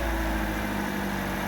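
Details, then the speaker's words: Car with morning first-start rattle at front of engine: repeat start, smooth even idle with steady low hum and no clatter; noise only on first start after sitting, owner suspects slack timing chain before oil pressure builds. "แล้วครั้งต่อไปก็ไม่ดังเหมือนกันเพราะว่ามันเหมือนจะแบบน้ำมันขึ้นมาเลี้ยงอ่ะ"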